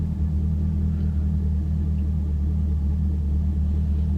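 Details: Chevrolet Camaro LS3 manual after crank-no-start fix (MAF harness rubbed on power steering pulley, shorted fuse): smooth, even low rumble holding steady with no knocks or misses. Normal idle.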